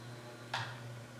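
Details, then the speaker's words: CEC Newport ceiling fan, rescued from an abandoned building after supposedly running on high reverse for over ten years: faint steady high-pitched whine over low hum on solid-state speed control, coils vibrating, trading hum for whine, not silent. "it's like you trade hum for that high pitch stuff yeah that's the coils vibrating so it's it's not it's not silent"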